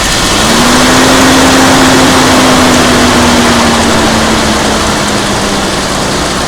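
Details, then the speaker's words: 1988 Jeep Comanche six that had been sitting, first start on a battery after much work: fired right up, smooth steady idle settling lower, no knocks or misfires. "well fired right up kind of amazing"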